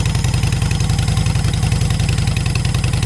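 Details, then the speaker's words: V-twin motorcycle with a Cobra 2000 EFI controller set at 122, air breather removed, heard from the other side at idle, not revved. Steady, even loping thump at about three and a half beats a second, no misses or knocks. Normal idle. "So that's pretty much what it sounds like. I don't want to rev it too much. One, the breather's off of it."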